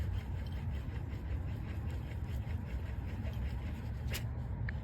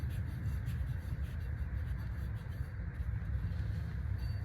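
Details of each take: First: Buick/Cadillac/Chevy/Oldsmobile hub assembly removed, old unit spun by hand beside the new one: coarse, continuous low rumble with a gritty rasp instead of a quiet coast; worn wheel bearing grinding, hub being replaced. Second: 1998 Buick Park Avenue rear wheel after the hub assembly/wheel bearing was replaced, the old one being definitely bad: quiet, smooth low hum as the wheel spins, no grinding or growl; normal wheel bearing.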